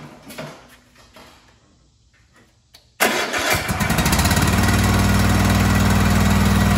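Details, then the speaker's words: Kohler KT735 7000-series twin on a Cub Cadet SLX50, running at half power, tested with spark testers; cranks, catches and settles into a lopsided chuffing idle, left cylinder not firing; dead cylinder, no spark, ignition coil problem. "okay just like I suspected the left cylinder is down now you could have other issues but right now we have spark issue we 100% know that we have an ignition problem"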